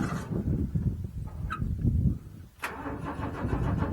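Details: Owatonna 260 engine, first start of the year, carburetor manually flooded with gas so mechanical fuel pump can pick up prime: cranks, catches, runs roughly, nearly dies midway, sputters on, running only on priming fuel; fuel starvation.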